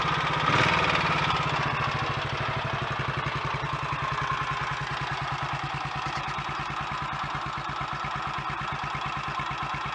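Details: Royal Enfield Electra X single, first start after rebuild with new conrod, big end, piston and rings, timing gear noises addressed: even regular thump about four beats a second settling as it warms; normal idle.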